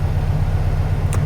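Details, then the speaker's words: Revived 1969 VW Beetle at warm idle after a drive, oil pressure about 10 on the gauge, temp gauge not yet moved; steady, low, even chuffing with a few handling clicks, sounds healthy. "Temp gauge still hasn't moved up. I mean, we drove. We know it's warm. Sounds good."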